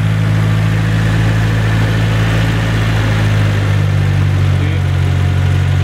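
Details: Nissan S14 SR20 idling after fitting a new JAPSPEED race exhaust manifold and fresh plug, previously quite blowy: deep, steady idle, smooth even beat, no ticking or puffing; exhaust now sealed and healthy.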